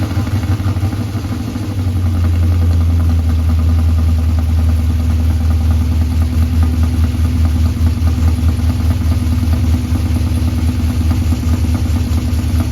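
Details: 1984 Ford F150 with LS swap, first start after months with under-hood harness out: fires into lumpy, uneven idle with rough irregular beat and a wild clatter; misfire suspected, number 8 plug dirtier with cracked porcelain.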